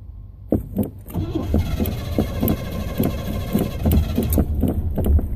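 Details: Engine cranks in uneven pulses, briefly catches with a lumpy low throb, then dies; stalled before leaving the parking spot, hard start and stall, cause unclear.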